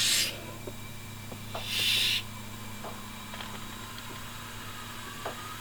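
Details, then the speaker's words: Honda Civic turbo build, DIY boost leak test at about half a bar: a sharp hiss of escaping air comes and goes from a loose intercooler coupler leaking boost; fix is tightening the coupler and seating it over the lip. "so you could hear that but go look at that coupler and try to get a little bit tighter or get it over the lip better so that it doesn't um leak like that"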